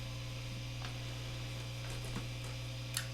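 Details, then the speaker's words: Epiphone Les Paul Special with stock Epiphone P90s, bridge pickup, tone and volume full up, no playing, into a Fender Hot Rod III Deluxe clean channel: steady low buzz of constant mains hum picked up by the P90. "here's the uh middle setting between the two pickups and you can start to hear now if you listen really closely bit of hum in the bridge position"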